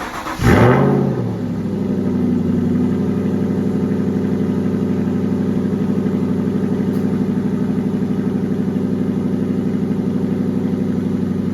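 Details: 2015 Aston Martin Vantage GT with Fabspeed X-pipe fitted, cold start: quick crank and catch, short flare, then even deep exhaust burble at idle with no ticking or puffing; healthy.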